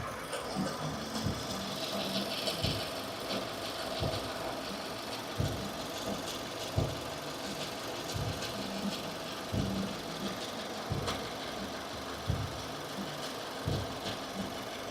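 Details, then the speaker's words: 2015 Subaru Forester at idle: uneven light chatter that comes and goes, not constant with engine rotation; source unknown, accessory belt about to be removed to rule it out. "it's like a little bit of [Music] chatter it's not constant with engine rotation which is"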